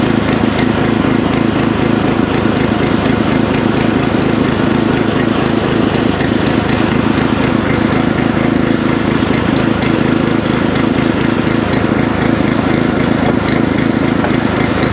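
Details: Previously non-running tiller/rotovator, running on choke with fuel on; small single putters fast and steady around four beats a second, even and clean. Running normally.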